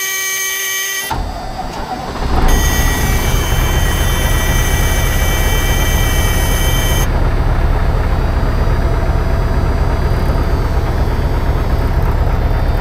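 Engine catches after a short crank and settles into a steady, even, deep diesel idle with no knocks or misses.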